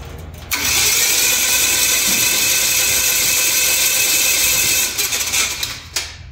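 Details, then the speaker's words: Aircraft engine cranked with spark plugs out and mags off, first crank in four months and first with the new prop: smooth, even starter whir for about four seconds with no grinding, then a clean spin-down. Normal cranking. "okay no problems all right so now I'm going to do this same thing I'm going to crank it until I start seeing some oil pressure"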